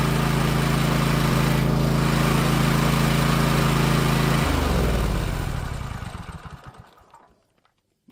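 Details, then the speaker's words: Toro TimeCutter zero-turn mower, 22.5 hp V-twin, after a faulty new spark plug was swapped back for an old one: steady, even beat with no surging or backfire, then it is switched off and winds down. "The engine started running clear again. You could hear there was no surging for fuel."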